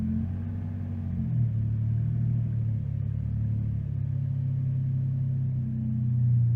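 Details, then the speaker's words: 2002 Jeep Liberty 3.7L, cold start after sitting overnight, Seafoam treatment, idle air control valve previously cleaned: idle hunts, pitch jumping up and sagging, erratic fast idle arriving earlier than usual; fast erratic idle. "well I've never had it to the erratic and fast idle so quickly normally it takes a few minutes to warm up and then go into fast idle"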